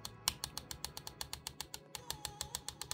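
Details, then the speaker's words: ASUS ROG G16 2024 laptop opened up: light taps on the metal fan shroud give sharp, tinny clicks with a buzzy ring. The shroud sits loose because a screw is not tightened, a factory QA fault that requires removing the fan assembly to fix. "yeah definitely some QA stuff in there and that screw as you can see is mounted on the other side so I would have to remove the whole thing so that I can uh you know tighten this fan back into this correct position"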